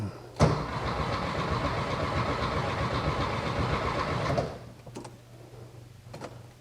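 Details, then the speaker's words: First start of a new 1600cc engine in a 1968 VW Karmann Ghia, replacing one that spun a main bearing: it fires but runs uneven and lumpy about four seconds then dies; rough running, owner suspects ignition timing set too far back. "well she's coming oh let me check timing can't be that far off it's hitting like it's um well time's off maybe a timed it too far back"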